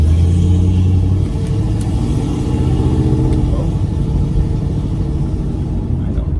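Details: Restored Pontiac Firebird after the rear axle bearings were replaced, driving and coasting on the same road as before: only a steady low road rumble, with no grumble from the rear; the axle bearing sounds healthy.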